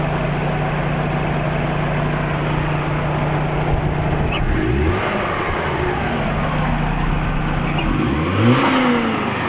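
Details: Petrol engine with timing belt, warm after 10 minutes running, idle blipped twice: light valvetrain and injector ticking, no deep knock; earlier suspected piston slap gone, vacuum 20 inHg steady, oil pressure about 38 psi at idle.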